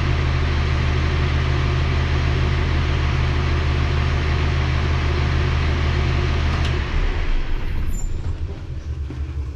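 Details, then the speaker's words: Rebuilt Cummins ISL9 (in-frame rebuild after dusting) at operating temperature: deep, even idle, then a clean wind-down at shutdown. Oil pressure about 35 psi at idle; healthy. "Pressure is about 35 psi idling, engine operating temperature, so that's good. It'll go up to 70 when you romp on it."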